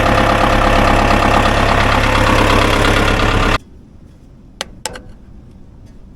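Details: Ford 2120 diesel tractor that sat for years, started without glow plugs: steady even clatter about four beats a second, no misses or knocks, then clean shutdown; healthy idle.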